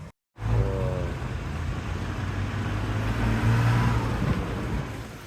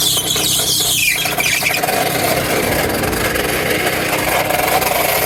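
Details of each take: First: Car in Jamaica driving home after repair: new AC compressor fitted (old seized AC bearing had snapped the alternator belt), alternator belt replaced, blown compressor fuse bridged; pulls away with smooth steady low engine drone, no squeal or knocking — normal running. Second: Car with running engine: harsh, irregular metallic rattling and scraping from the AC compressor. The bearing snapped off the piston, rattles, spins unevenly and seizes, which burned and threw the alternator belt with smoke.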